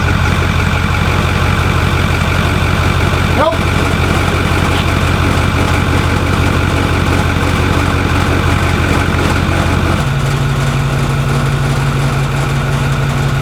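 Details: Truck at idle after the pulleys were replaced and the tensioner reinstalled: a constant whine over the engine note that drops lower near the end. The pulley change did not fix it. The front accessory drive noise source is still unknown, and the AC compressor and belts are to be checked.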